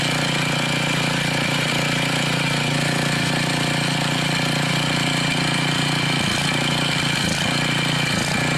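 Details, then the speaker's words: Mastercraft rototiller, Briggs 5 hp OHV engine fitted with an unknown Amazon carburetor after governor adjustment, running about 3480 rpm. It runs high and steady with rapid chatter and slight wavering; it looks to be leaking, lean running, partial choke needed. "And it looks like it's leaking. So, I had to put the choke on a little bit."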